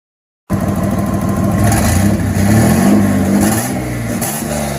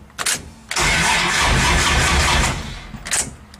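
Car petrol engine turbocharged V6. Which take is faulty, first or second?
second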